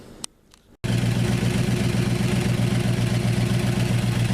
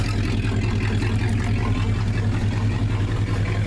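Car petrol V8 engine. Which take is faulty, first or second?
first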